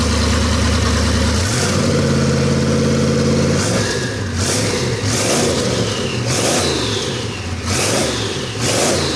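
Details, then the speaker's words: Chevy small-block 350 V8 rat rod with a newly installed, broken-in turbo cam: crisp, lumpy idle that picks up cleanly through sharp throttle blips and settles back. Normal idle and revving, sounds healthy and strong. "we finished the rat rod up with a cam swap last night and we got it all broken i'm going to do one more little start up and just kind of show you guys what it sounds like"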